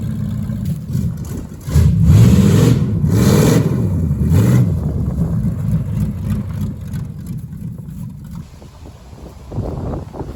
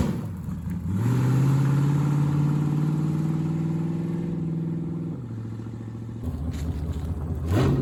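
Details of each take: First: 1973 Plymouth Barracuda, hopped-up 360 V8, after swapping old Holley for a near-new Edelbrock carburetor: deep rumble picks up cleanly on throttle, drops back to steady idle without stumbling; runs better than before. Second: 1973 Plymouth Barracuda, hopped-up 360 V8, old carburetor after sitting: revs up, holds, then sags and hesitates as throttle is worked again; lazy throttle response, rear accelerator pump suspected dead.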